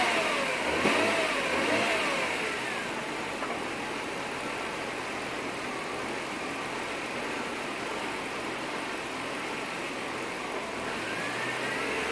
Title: BMW E36 M3 Evo 3.2 Rough Idle Hunting Tickover